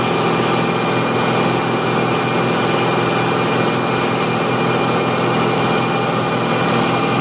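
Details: BMW M60 V8 engine held at a steady 2500 rpm gives an uneven, erratic ticking over the engine hum rather than a constant tick; cause not pinned down.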